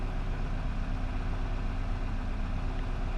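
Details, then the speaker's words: 2009 Nissan Versa 1.8L SL driving after replacing the failed cylinder 4 coil pack and clearing codes P0300/P0340; low, even idle, smooth with no missing or surging; normal running. "Just running smooth as can be now. No missing, no surging."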